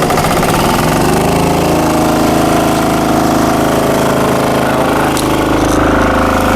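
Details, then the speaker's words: Mitsumax 10 hp vertical single-cylinder diesel driving a 3-inch high-pressure water pump (3,000 rpm rated), started at full throttle; loud, fast, even chugging with no knocks or misses, very high pressure through spray nozzle; healthy normal running. "เดี๋ยวรอสักครู่โอ้โหถือว่าแรงดันสูงมากนะครับนี่ผมใส่หัวปรับฝอยเข้า"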